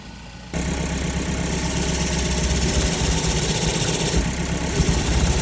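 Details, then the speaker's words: 2012 Ford Focus Mk3 manual, first start after new clutch install: idle with fast cicada-like chirping each time the clutch pedal is released; owners think the clutch was installed backwards, transmission coming out again. "it almost sounded like a cicada every time I let off the clutch pedal I'm sure you can agree that that does not sound good"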